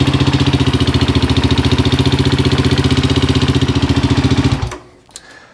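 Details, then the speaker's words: 2005 Suzuki LTZ 400 at idle after another shop's failed valve guide install: loud, fast, even top-end clatter on the valve guide side, found with a stethoscope; excessive valve clearance noise, owner plans to recheck clearances and shims (exhaust at 340, can go to 350). "it sounds a little noisy up top on this side where that uh valve guys feel with our valve guide you put in it"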